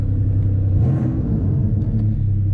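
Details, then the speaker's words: 1992 Dodge Stealth, 100,974 miles, good oil pressure: deep steady idle with even beat, no knock, tick or miss; engine running very well. "as you guys can hear that motor is running very well"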